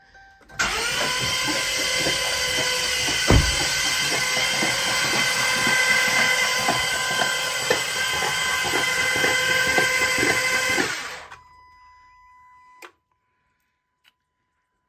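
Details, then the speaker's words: Dodge Charger cranking after fluid sprayed from the cylinders: about four beats per second under a loud hiss, uneven; one cylinder that held fluid sounds off, owner suspects fluid still inside; uneven cranking. "that one cylinder that had all the fluid in it that sounds funny it might just be that there's still fluid in there"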